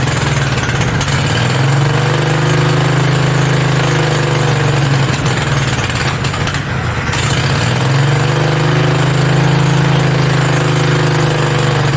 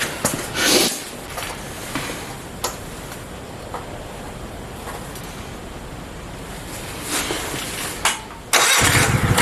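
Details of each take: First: Mini bike V-twin, a generator engine, first start with belt off and throttle knocked up; fast, steady drone that never settles to slow idle; idling way too high, fix is the idle screw underneath needing a screwdriver. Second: Mini bike V-twin; even, steady idle at a sensible speed, no misses or knocks; normal healthy idle before first ride.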